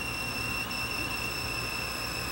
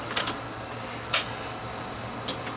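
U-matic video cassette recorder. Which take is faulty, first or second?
first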